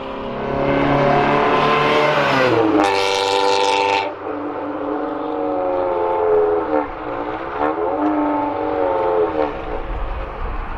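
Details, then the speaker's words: Honda CRX with an eBay Spec-D catback exhaust, before a Vibrant muffler and resonator are fitted: a harsh, raspy, loud drone rising with revs. It sounds like the muffler has no packing; it is to be cut open to verify. "Here's a look at the exhaust off Chris's car. By the sound of it, it sounds like there's no packing inside of it."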